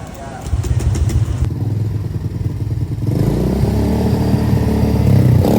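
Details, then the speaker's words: Honda Beat FI scooter with no idle and hard starting, before teardown: several seconds of choppy cranking before catching, then an uneven, lumpy idle; cause found as overly stiff valve springs loading rocker arm and camshaft. "Seperti yang kalian lihat kalau misalnya motornya itu susah dinyalain ya, Guys."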